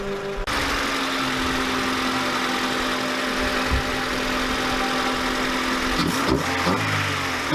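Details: Honda Civic EG with freshly swapped D15 engine, just started, settles into a steady, even idle with smooth low hum and no ticks or knocks; normal idle.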